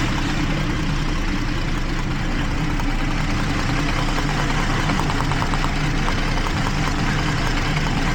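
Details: 2012 Jeep Liberty 3.5 L V6, misfire on cylinders 1 and 5 after coolant soaked the secondary ignition; engine hot, smooth even idle with a steady low drone and no audible skipped beats, though a cylinder 1 misfire was logged.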